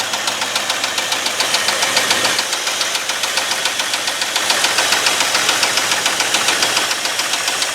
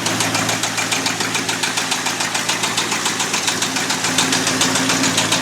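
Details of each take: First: 1989 Ford F250 5.8L V8 after cleanup, battery and fuel injector wire fixes: loud, steady running with an even, regular pulse and no knock or miss; runs normally, just noisy. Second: Abandoned 1989 Ford F250 5.8L V8 started on a new battery after fuel injector wire repair, never revved: loud, sharp, metallic knocking about three or four per second over the idle; an engine knock, cause not yet known.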